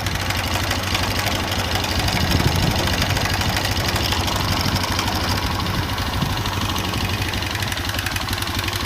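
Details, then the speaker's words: Honda Revo Absolute motorcycle at idle, valve cover off, cam chain held tight with a screwdriver: light, uneven knock about three per second persists though the chain noise stops, pointing to a worn piston; piston knock. "Nah, tapi dia masih menimbulkan bunyi. Loh. Ini ketengnya sudah tidak bunyi, beda dengan ya. Tuh. Bisa dilihat. Nah, ini untuk mengetes saja. Berarti tadi itu bunyinya keteng sama mesin. Nah, ini sudah keteng sudah kenceng, tapi mesin masih tetap bunyi."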